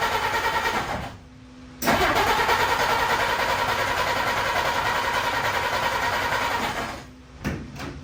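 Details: 1952 Dodge Wayfarer after swapping in a new coil cable: cranks, catches and runs a few seconds with an uneven beat, then dies; plug wires out of firing order, owner also suspects spark or points.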